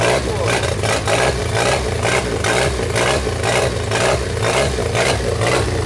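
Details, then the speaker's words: 1992 Genie boom lift engine, first run with new throttle controller: speed won't hold steady, surging up and down about twice a second; governor hunting, possibly due to controller, still troubleshooting. "Well, it technically worked, but there's some oscillation going on. Now, is that due to the controller? Maybe."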